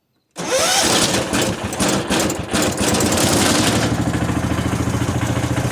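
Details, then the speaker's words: 1977 John Deere 300 riding mower back from small engine shop, sat a while, cold start on choke at no throttle: brief crank then steady, even thumping idle; rattle from unscrewed side covers. "Ta-da! She runs."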